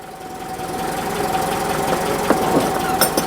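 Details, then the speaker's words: Citroen engine running with a harsh, uneven mechanical clatter and sharp knocks over a whining tone, possibly worse under load; the alternator is suspected to be worn out but this is unproven. "Yeah, I've heard people say that, and possibly because it's under load, but it does sound very noisy."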